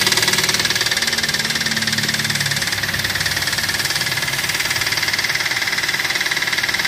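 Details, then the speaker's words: Toyota Avanza after driving through floodwater: hard, regular metallic knock about three a second, louder and faster with throttle, following RPM; suspected damaged connecting rod (stang seher), possibly bearings; engine needs overhaul. "ya teman-teman sudah bisa dengar sendiri suara mesinnya seperti itu ya jadi Kasar banget kalau digas tambah digas plus digas tambah kenceng suaranya"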